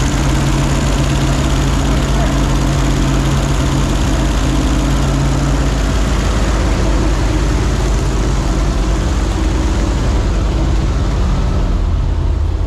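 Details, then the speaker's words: 1968 GMC with a 327 V8 after a carb rebuild, new plugs and wires, and an HEI distributor, showing about 40 psi oil pressure and 230 on the temp gauge: a deep, even, smooth idle with no ticks or knocks. "how about that sound like butter don't it Sala yeah"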